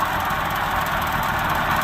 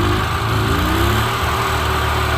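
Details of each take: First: Subaru 360 Van two-stroke engine after cast aluminum piston rebuild, carburetor was gummed up: even, steady buzz with no stumbles, misses or surging, idle a bit too low; runs pretty good. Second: Subaru 360 Van two-stroke engine, rebuilt with cast aluminum piston, dirty carburetor: uneven, wavering idle that hunts and stumbles before dying down; pilot jet completely plugged, carburetor must be taken apart and cleaned.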